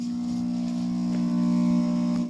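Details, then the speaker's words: Off-grid low-frequency inverter powering a heater keeping coffee warm: a loud, steady low transformer buzz holds while the load cycles on, then drops away; normal for these inverters, per owner. "and there it goes again you hear that buzzing I find I've had uh two different uh and track low frequency inverters they all do that with uh these cure eggs"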